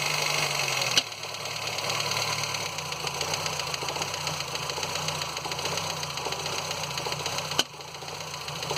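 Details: Ford Fiesta Endura engine at idle: fast even ticking over a steady idle throughout; abnormal engine noise, cause unknown.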